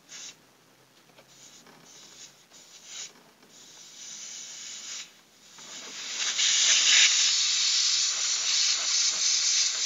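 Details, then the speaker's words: Freezer box cooling only at top, condenser replaced, system being flushed with petrol; sharp steady hiss of gas through condenser, capillary and evaporator, surging louder after six seconds; clear flow, capillary not blocked. "Jadi sudah lari ke kapiler, kemudian ke isap, artinya ini kondensor ke kapiler masuk ke evap dalam, kemudian keluar ini pipa balik. Tuh bunyi."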